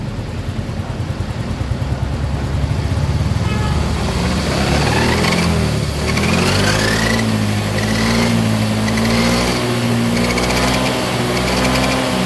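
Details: 2019 Yamaha Mio X-Ride scooter: as the throttle opens, a high whine rises and wavers over the engine drone from the rear final gear; cause suspected, not confirmed.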